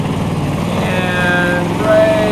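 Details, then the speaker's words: Off-road wrecker truck with Dana 60 front axle climbing hill: engine labors, revs flare as rear duallies spin out, marking moment hub walked off spindle and broke lockout hub; engine then stalled, brakes failed; front wheel hub failure. "That tells me that that's when the failure happened. That's when the hub started walking off of the spindle and broke the lockout hub."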